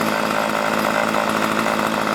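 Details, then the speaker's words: String trimmer after the spark arrestor screen was cleaned and the carburetor high-speed screw set slightly lean to prevent bogging under load: crisp, steady high-revving buzz at full throttle with no bogging or surging; running well. "you crank it out to where you want it and then you turn just a little bit more which makes it run a little leaner that way it won't bag on you when you're getting big stuff and now running like a champ"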